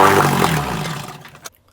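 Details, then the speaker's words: 1964 Evinrude 3 HP outboard runs barely a second, winds down quickly and dies. It stalls too fast to set the needle; the owner suspects a fuel tank problem, not confirmed. "see you now I don't already set the needle because it stalls out so damn quickly"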